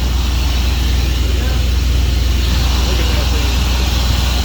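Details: 1996 Ford F-150 that had not run in a year, running after fuel pump and gas tank replacement: steady, even engine rumble with no knocks or misses; runs good, though it may squeak after a while.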